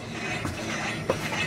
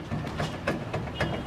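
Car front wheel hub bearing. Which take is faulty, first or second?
second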